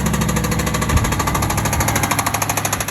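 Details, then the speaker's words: Low-mileage, one-owner Aston Martin 4.7 V8, recently serviced at a franchise dealer, heard on arrival at the workshop. Heavy, rapid metallic knocking about two to three times a second over the running engine. Big end bearing failure about to become catastrophic. "you can hear the engine exhibiting quite a undesirable sound hi as the 47s can sometimes suffer this is Big M bearing failure"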